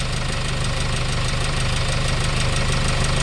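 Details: Hyundai Starex D4CB diesel, replacement engine fitted for blow-by, after road test, no smoke, no blow-by at breather, no oil leaks: steady low idle clatter ticking over evenly, no misses or hunting; normal idle.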